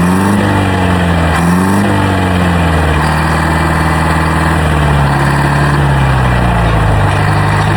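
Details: Old Detroit diesel on a rock crusher plant, first start in about 3.5–4 years after the starter solenoid was repaired, nearly running away at start: a deep diesel chug wavers briefly, then settles into a steady, smooth run with no knocks; runs normally.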